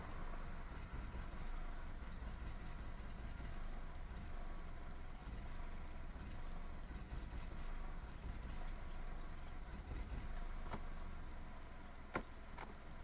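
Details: 1998 Toyota Camry idling rough: low, uneven idle with a lumpy, unsteady beat and a few faint clicks near the end.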